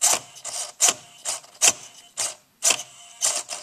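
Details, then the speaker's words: OFNA Hyper 7 RC car: servo whirs then hums under load as steering hits its end stop while still being turned; fix is reducing steering travel/throw on the transmitter. "when I turn and it hits that I can keep turning in the servo you hear it it's humming because it's it's there's load put on it"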